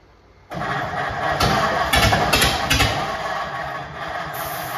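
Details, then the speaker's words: 1950 Ford F1 flathead just reinstalled: catches after cranking then runs ragged with irregular sharp pops and backfires, mostly popping through one side; misfire, possibly from crossed spark plug wires. "I think it's something to do with spark. It's some of it is, some of it ain't. It's sparking. I know, but I'm saying that maybe timing and wiring. But it's mostly popping through this side over here. You get 2 wires across over yonder, you know."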